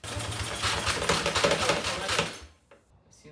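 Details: Cheap Chinese quad with new battery and carburetor later cleaned: quick, even cranking chatter about four beats a second with no firing, then stops; engine cranks but won't start, cause not confirmed.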